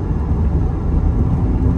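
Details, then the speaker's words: Lexus IS 250 rebuilt after a side hit, driven in rain with a bad wheel bearing: a deep rumbling drone that changes with speed and when shifting weight side to side; the drive axle boot is also torn. "we're also checking our wheel bearing you guys to hear it if you can hear it on video you know it's pretty bad so you can hear a change with the speed of the car"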